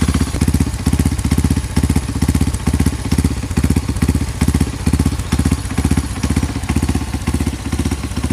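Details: Honda CRF150 supermoto bored up to 200cc with a Juken 5 remap for idle and timing, just started. Steady, even thumping with a regular beat and no misses or mechanical clatter: normal idle.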